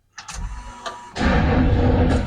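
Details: 1992 Camaro RS being revived, cranking after temporarily bypassing the computer-controlled starter relay; a couple of short clicks then steady rhythmic starter churn; normal starter cranking.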